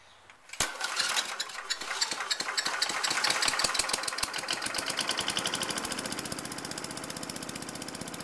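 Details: Lawn mower converted from petrol to LPG/propane, gas line to carburettor fuel inlet, primer bulb sealed; pulls over, catches and settles into quick, even firing, no misses or stumbles; normal running.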